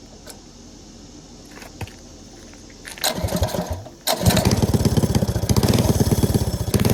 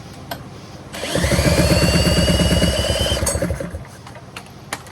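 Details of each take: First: Go-kart small engine started with a fair bit of throttle, heavy kickback: catches, then harsh clattering rattle and rising whine under load. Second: Go-kart small engine, clutch found bad: fires after a second and runs a few seconds at a quick, steady, even putter before shutting off, showing the engine itself is not destroyed.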